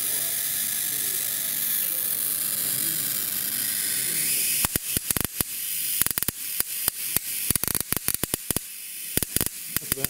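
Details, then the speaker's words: Air-spaced capacitor under hipot test at about 13 to 13.5 kV drawing roughly 25 microamps, where a steady hiss gives way to rapid, irregular sharp snaps and crackles from high-voltage arcing. "I'll just back it off till it stops. You can hear it arcing there."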